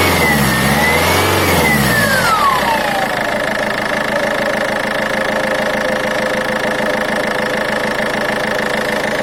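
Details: Turbocharger whistle: a high whistle rising and falling with the revs, then settling to a steady tone; the turbo was found to be unbalanced and was repaired (geometry fixed, housing replaced).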